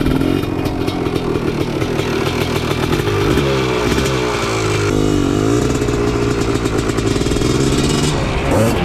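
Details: Honda TRX250R two-stroke with 310cc ESR big-bore top end in a TRX450R frame, on race gas, after tank swap to stock: revs in ragged bursts breaking up at part throttle, suspected fuelling problem, cause unconfirmed.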